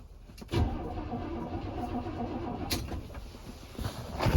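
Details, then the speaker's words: 1985 Chevrolet C10 engine after sitting, old oil drained with some water found, cranked with makeshift setup before timing; about two seconds of even starter cranking with regular churning beat; engine turns over freely, not seized. "so it cranks the engine's not locked up i guarantee you this was why it was parked"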